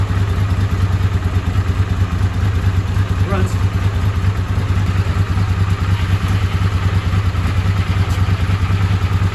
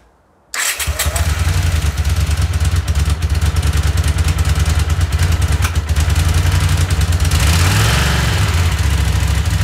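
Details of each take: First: Honda CX500 V-twin after the ignition was repaired: a steady, even thrum with no stumbles or popping. It runs clean and pulls strong, unlike before. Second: Honda CX500 vintage motorcycle after carbs cleaned again and ultrasonically cleaned parts swapped, following ignition repair: lumpy idle with an intermittent pop every so often on one side; owner suspects a vacuum issue; cause unclear.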